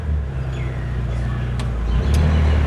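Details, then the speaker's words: Carbureted automatic engine with AC on after fitting an AC compressor clutch damper box; low even idle with no dips, surges or stalling, slight shake noted that may need engine mount check; not road tested. "ขนาดรอบตามๆนะครับพ่อแม่ไม่มีกระชากดับแน่นอนนะครับ"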